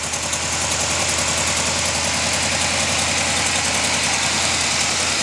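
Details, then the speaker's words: 1979 Oldsmobile 403 V8 (original '79 Trans Am K motor) running on a homemade engine run stand: even, rapid exhaust pulse at steady idle, no misses or heavy knocks; not shaking, stand stable; normal idle. "but that's it it's running it's not shaking stand is stable"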